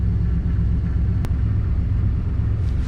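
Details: Jeep ZJ that sat for months, started after the low battery was charged: low, steady idle rumble with no stumble or dips; engine idles smoothly.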